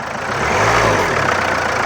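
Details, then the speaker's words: Diesel car after knocking repair with sensor values reset: idles and takes a short rev blip smoothly, faint clatter left; earlier tak-tak knock now 70-80% or more gone, full learning expected with driving. "पहले टक टक टक टक आवाज आती थी अभी काफी हद तक मतलब लगभग 7080 पर नॉकिंग खत्म हो गई है उससे भी ज्यादा अभी नॉकिंग कर ही नहीं रही है"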